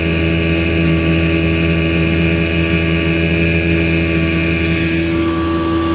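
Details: 1984 Evinrude 6hp two-stroke outboard on a lake test after crankshaft spline repair with a hex-drive extension, reaching 14 mph: an even, steady buzz holding one pitch at speed with no misses or rattles; running cleanly under load.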